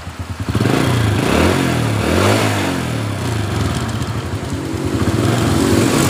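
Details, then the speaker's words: 2007 Honda Supra Fit New, earlier rough 'kletek' rattle around the cylinder head that is usually the cam chain, after repair and oil refill: runs smooth and even through throttle blips, no ticking or chain rattle. Normal running. "Selanjutnya kita hidupkan. Ya, suaranya sudah halus."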